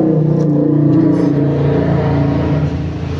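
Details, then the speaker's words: Yamaha motorcycle, ignition switched on, microphone close to the fuel pump: steady low hum of even pitch for a few seconds; fuel pump priming normally. "Kontak on. Ketika full pump dengung, di sini LED itu nyala. Ketika full pump mati, di sini LED itu ikut mati, gitu Mas, ngeceknya ya."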